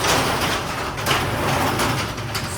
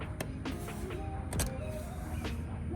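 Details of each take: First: Garage door that stuck, jerked and shook when first opening, next day after yearly maintenance fix; steady rolling rumble with no jerks or scraping as the door lifts, definitely a lot smoother: smooth garage door operation. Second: Garage door with a 21-year-old chain-drive opener jerks and shakes when it first opens. The opener hums steadily while the side weather stripping sticks and lets go with sharp irregular cracks and squeaks. Owner blames summer humidity and rain.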